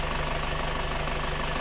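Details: Isuzu Panther diesel just started after repair: sunken cylinder 4 liner flipped and new piston rings fitted, following heavy dipstick blow-by. Steady, even idle clatter with a firm low rumble and no misses or odd knocks; running smoothly.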